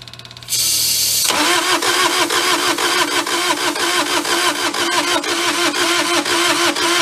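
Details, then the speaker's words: Mid-1980s Bobcat skid steer, possibly a 642, non-running when bought; starter turns it over at about two even beats a second but it never catches, owner suspects too little compression to fire and plans to check valve clearances. "starting to think that we said dust doesn't have enough compression of fire uh let's get that valve cover off and we will check valve clearances"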